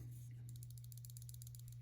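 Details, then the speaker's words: Hogue Doug Ritter Mini RSK MK1G2 folding knife, MagnaCut and carbon fiber, shaken: quick sharp metallic clicks about eight a second; rattle stops when pressing the ABLE lock bar, returns when released; an identical 20CV model doesn't rattle. Cause suspected. "So the rattle went away when I put pressure on the Able lock bar. But when I pull it back, it still rattles."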